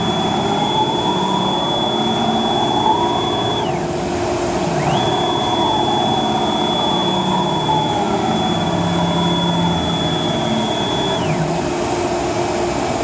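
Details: Techno CNC HD-II router moving its gantry in Y: a steady high whistle rises as it gets moving, drops at each reversal, then returns over a rough rumble; suspected ball nut/lead screw bearing noise, worst near the center of travel.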